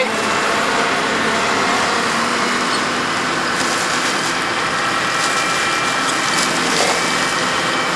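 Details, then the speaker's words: 1997 Spartan/Ferrara fire engine with 1250 gpm pump drafting from a dry hydrant under load: high-pitched whine dropping lower as it pulls water and pressure builds; steady even roar, no surging, knocking or cavitation; normal drafting. "can hear he that whining sound and it's a high pitched wind but it's starting to get a little lower little lower little lower little lower it's pulling some water"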